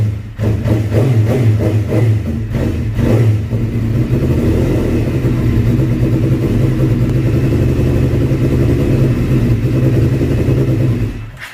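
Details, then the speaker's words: 2005 Suzuki GSX-R750 after stator-rectifier wiring cleaned and airbox installed: picks up on throttle blips, holds a lumpy mid-rev run, then sags and dies; stalls because idle speed set too low. "All right, so one thing occurred to me, and that was checking the idle, because I didn't hear the bike actually breaking up when I was going on a higher RPM. So I thought it's just not staying on."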